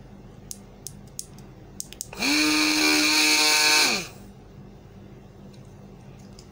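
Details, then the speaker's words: Rechargeable portable juicer blender that would not switch on, after resoldering the switch and board; short high motor whine spins up, holds steady about two seconds and winds down, running normally. "तो यह machine हमारी okay हो चुके हैं"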